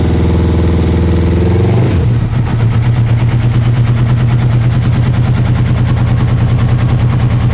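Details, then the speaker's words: Honda CB1000R four that broke down and wouldn't start; with the left two cylinders' Power Commander wires disconnected and original wiring on, it cranks two seconds then catches into an uneven, popping beat, only the right two firing; Power Commander programming error suspected. "Two cylinders, I think. Yeah, the two the two right cylinders are firing."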